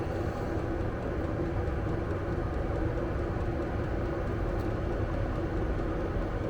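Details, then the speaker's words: Vevor diesel air heater in a Fiat Ducato van, still at full power, thermometer near the outlet at almost 20°C: steady even low roar, no surging or popping; normal running at full power. "Il est presque à 20 mais bon là il est vraiment proche de la de la sortie. Il est toujours à fond."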